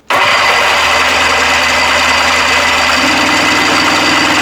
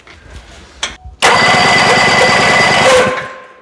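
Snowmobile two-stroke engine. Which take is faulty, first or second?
first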